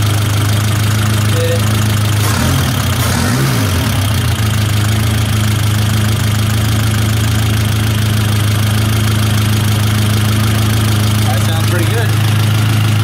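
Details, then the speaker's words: 1972 Toyota Celica 18RC with Weber 32/36 carburetor, after valve adjustment and mixture screw turned back in: smooth, steady hum around 950 rpm, even low pulses, no stumble or miss. Normal idle, mixture set right; idle speed may be lowered further. "I think still right at 950 we could bring it down a little bit more on the idle"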